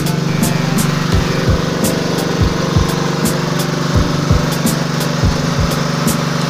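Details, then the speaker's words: Small single-cylinder generator that would not start or stay running, after draining thick black low oil, refilling and cleaning: steady even drone without surging or stalling—normal running. "so Ayan mga kaalam ah pinaandar natin siya kasi nilagyan natin siya ng langis no at Hinugasan"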